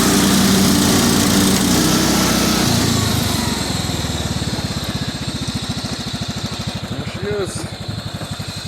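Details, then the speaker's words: Cub Cadet 2130 garden tractor, revived after a fuel pump replacement, carburetor rebuild, choke and brake-switch wiring repairs; cold start at about 35°F, in neutral; rough start settling into an even idle thump about three per second, transmission whine; normal idle. "doesn't burn any oil sounds great got in neutral right now so forward pedal is completely engaged what you're hearing that wine is the gear system or the clutch system on the transmission she's good to go"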